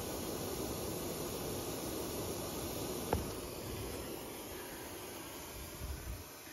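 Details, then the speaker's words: Broan packaged AC unit not cooling, coil cover removed: faint continuous rhythmless hiss of R-410a escaping where copper capillary tube rubbed through; entire 160-ounce factory charge lost. "I got this little this little coil cover off and I was able to get in here a little bit the leak is right there"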